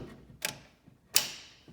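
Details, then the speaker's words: John Deere 4600 diesel tractor after thermistor replacement for a cold no-start at about 32°F: three crisp clicks as the fuel shutoff solenoid snaps open normally, letting fuel flow to the injection pump. "that solenoids quick and clicking every time now so that means it's opening it up allowing fuel to go flow through the injection pump and along the tractor to start"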